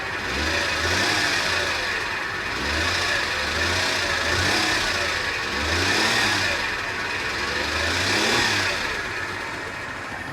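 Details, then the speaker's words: 2017 BMW M240i at salvage auction, revved from outside the car: repeated blips about every two seconds with a metallic rattle over each rev; heavy timing chain rattle suspected. "man you know what that sounds like to me that actually sounds like a timing chain yeah sounds like a timing chain"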